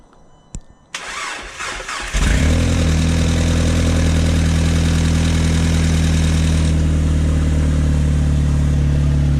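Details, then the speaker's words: Audi B7 four-cylinder after balance shaft delete and reinstalling transmission mount, subframe, downpipe, first start after about a month or two: cranks, catches and settles into a steady even idle with smooth low drone, no rattle; normal idle. "Sounds good to me. But yeah, after a pretty long time, probably like about a month or two, he's running."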